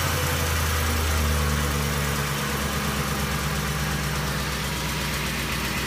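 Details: Ford 5.4L Triton V8 with VCT idles with a light ticking from the driver-side valve cover area and a stumbling misfire; failed coils, ECU altered timing; fixed by replacing all 8 coils and spark plugs; manifold replacement didn't help.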